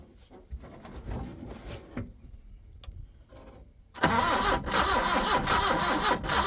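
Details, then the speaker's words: 1980 Chevy Luv truck, abandoned in a junkyard since 1998, first start after work: catches after a few seconds and settles into a steady, even idle with no knocks or misses; good running motor apart from smoke. "over actually sounds pretty good try it again yep that's a good running little motor other than all the smoke"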